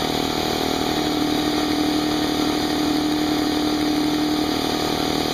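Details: Brand-new Harbor Freight Central Pneumatic 68127 29-gallon 150 psi 2 hp dual-piston compressor, unloaded 10-minute break-in with tank drain open, still cold; steady motor hum with fast regular piston pulse, no knocks or rattles; normal running.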